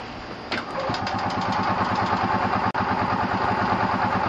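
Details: Worn 2-stroke gasoline engine in an EZGO golf cart with a totally missing piston ring, scored ring, carbon on exhaust port, base gasket leak; muffler refitted, catches into a loud, uneven popping idle about three beats a second from low compression.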